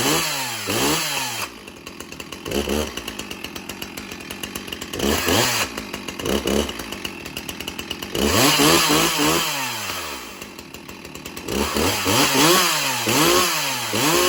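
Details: Stihl MS361 Farm Boss chainsaw with 20-inch bar, started and blipped from idle to high revs and back repeatedly, crisp, clean and even two-stroke note; normal healthy running.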